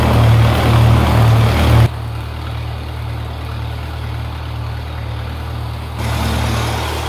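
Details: 1948 Lincoln SA-200 welder engine, long set aside unused and got running with very little work: a steady, low, even thrum with a smooth regular firing beat and no knocks or misses. Normal, clean idle.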